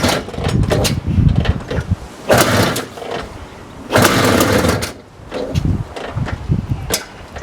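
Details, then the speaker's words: 1982 Maico 490 two-stroke, kick-started with half compression after a carb clean, its first start in 8 years of standing: kick attempts, then loud uneven bursts that catch and rev in blips; engine runs. "but it starts I hated Beast oh my god it's a beast my ears are ringing"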